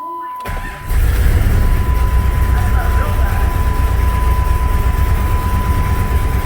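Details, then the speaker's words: 1996 Jeep Grand Cherokee 5.2 V8, second cold start after cleaning grounds: uneven stumbling lumpy idle, erratic, also heard at exhaust; misfire on cold start, car also struggles to idle when warm. "sounds like it has that misfire though. Still sounds like it has that misfire."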